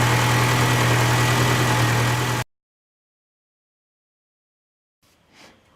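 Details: 2000 VW Cabrio (MKII) running on a substitute ignition coil from a Jetta after the cracked original caused a no-start. It holds a smooth, steady idle for a couple of seconds before shutting off, with no misfire.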